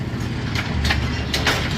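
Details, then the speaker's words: Brunswick A2 pinsetter after cycle solenoid replacement; a ball detect beam trip makes it cycle: a low rumble with light clatters, running smoothly with no binding. Normal machine cycle. "Trip the ball detect beam. It cycled. Waiting on pins. There you go. Again, trip the ball detect beam. And she cycled."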